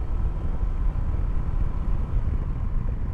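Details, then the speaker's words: Honda PCX 160 after warranty replacement of rear shock absorbers at second service, riding: steady low road rumble over rough pavement with no thumps or knocks from the rear; earlier jedag-jedug noise gone. "suara-suara jedag jedug itu jeruk ini pesawat jalan rusak itu itu udah nggak ada sama sekali itu yang nggak bikin nyaman kan disitu"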